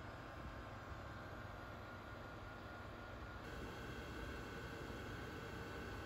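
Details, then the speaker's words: Refurbished and rebuilt Pentium II PC, first power-up after reassembly with an untested IDE cable, running Windows 98 SE: quiet, steady even fan hum, no rattles, clicks or grinding; system up and running, normal. "so we can actually fire it up and see what happens hopefully this ID cable works I haven't tested it but we'll find out soon enough the system is up and running"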